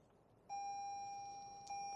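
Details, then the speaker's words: 2020 Toyota Corolla SE in Drive, seatbelt unfastened, under about 10–12 mph; after 30 seconds a clean high single-pitch beep sounds, then again louder. Seatbelt reminder chime regardless of speed or stopping. "30 seconds counted and it doesn't matter how fast or if I am stopping here comes the ding as long as I'm in Drive"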